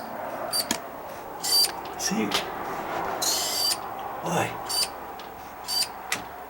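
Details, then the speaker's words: House door just adjusted at the hinge after rubbing its threshold: short high-pitched squeaks in bursts as the door moves; could be the bottom edge rubbing or the hinges, later seems to come from up top, to be treated with silicone spray. "hear a little bit of a squeak hear that and it could be it could be the bottom Edge it's just rubbing it could be uh the hinges"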